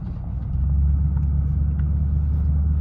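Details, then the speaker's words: Ranch truck with a newly installed exhaust system; a steady, deep, mellow, throaty rumble at idle with no ticks or rattles, and no leaks are heard. Normal exhaust note. "Ooh, I like that sound. It's like a whole different truck. It's like a mellow, throaty, deep, a mellow, deep sound."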